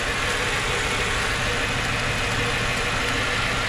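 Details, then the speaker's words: Totaled 2006 Mercedes-Benz E500 4matic wagon V8, coolant low, smells of gas: steady even hum with no knock or tick and no speed change, no exhaust smoke; smooth normal idle. "it's running smooth back here nothing not when smoke coming out of the exhaust sounds good"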